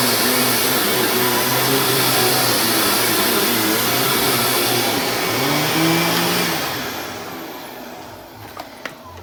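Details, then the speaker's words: Dyson DC25 upright vacuum running with its filter refitted: steady, even high whir with a strong, smooth brush-roll hum and no rattles or surging before it winds down. Normal running. "with the filter back in you can hear this thing agitates amazingly"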